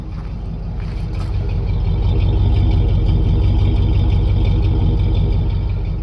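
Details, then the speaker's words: Warm 20+ min idle of a Chevrolet Express camper van V8 (upper hose 50–51 °C) during EGR valve cleaning: deep, even burble with a steady pulse and no miss. All eight cylinders are firing, which is normal idle. "Toi on se ääni, kun kaikki 8 pyttyy käy. Tosi paljon kuulee sellaisia, kun käy vaan 4."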